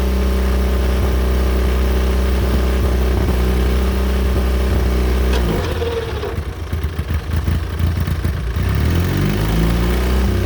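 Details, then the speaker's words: John Deere Model R diesel after freeing sticking injection rack and injector work, started with rebuilt pony motor: steady low, even chug after a mid-clip disturbance, smooth and regular. Normal, healthy running. "We successfully got the pony motor rebuilt, put back on the big engine, and used it to start the big engine, and the big engine started pretty easily after doing the injector work and all that sort of thing."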